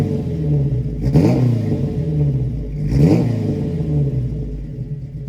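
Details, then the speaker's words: Alfa Romeo GTV race build, stainless large-diameter straight-pipe exhaust with one muffler ahead of the rear axle, untuned before dyno: deep loud rumble swelling twice on throttle blips, settling smoothly between; healthy, loud exhaust. "So, I think it sounds good. It's I mean, it's loud. It's just It has one muffler in front of the rear axle and pretty big diameter straight pipe stainless steel."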